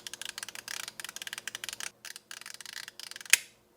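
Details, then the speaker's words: Refrigerator defrost timer advanced by flathead screwdriver: rapid small ticks, then one sharp loud click and the background drops quiet as the blower fan turns off; normal switch to defrost. "Right there, that was it. Then you stop. Now the blower fan is off."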